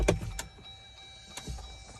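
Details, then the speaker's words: 2019 Jeep JL Wrangler Rubicon, push-button start pressed even after both batteries were replaced: a few sharp isolated clicks with no cranking. No-start, cause unknown. "It's not starting when I press the power button. It just clicks."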